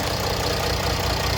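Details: After replacing the accessory belt kit, idler pulleys, water pump and alternator freewheel pulley on a Mercedes CLS 320 CDI, steady even diesel idle with no bearing whir, squeal or chirp; no water pump leak; normal idle.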